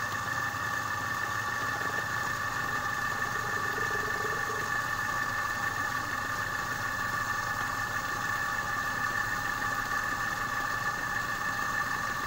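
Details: Repaired compressor after a stone lodged in the valve jammed the piston and stalled it; run while charged with air to find gas leaks (oil seepage shows a small leak, to be rewelded). Smooth, even hum with a steady high tone, no knocking or rattle; running normally.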